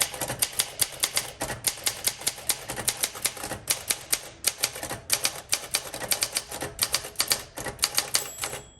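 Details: 1962 Olympia SM5 manual typewriter, well-used with a scratched finish: crisp, even keystrikes at five or six a second with clean carriage clicks; types extremely well, normal action.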